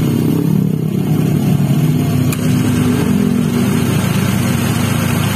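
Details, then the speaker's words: First-generation Honda Brio at idle with AC compressor engaged after replacing the faulty bearing: smooth, even running with no growl or rumble; the AC now runs quiet, normal. "Oke. Jadi alhamdulillah udah selesai permasalahannya. Jadi sekarang udah halus lagi. Jadi masalahnya dari bearing itu guys."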